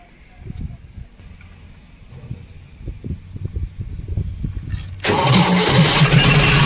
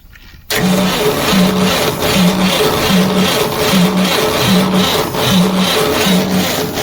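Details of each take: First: Cement bulker diesel after the starter motor's bad internal connection was resoldered and the motor refitted with its battery cable: steady cranking pulses about three per second, then it catches cleanly into a smooth, even idle; normal start. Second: Cement bulker diesel that won't start: the starter drags slowly with heavy, uneven compression pulses and never fires, the starter taking load; it is then opened and checked.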